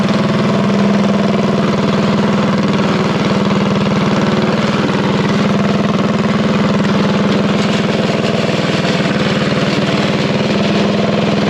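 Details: Revived unknown-history junk single-cylinder go-kart engine at a fast idle around 2200 rpm during break-in: a steady, even beat with no knocks or misses. It runs cleanly and healthy.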